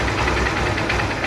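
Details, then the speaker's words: Honda SP Shine 125 BS4 motorcycle, brought in for engine noise complaint, idling after self-start: steady, even single-cylinder idle with quick regular beat, no knocks or misses; engine sound normal. "तो sign का जो sound होता है दोस्तों perfect तरह से वो sound है इस गाड़ी के अंदर"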